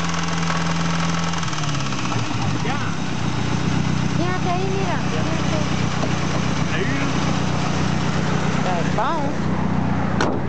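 Idling engine with a dull tapping that comes and goes at roughly four per second over the running drone; knocking, cause unknown.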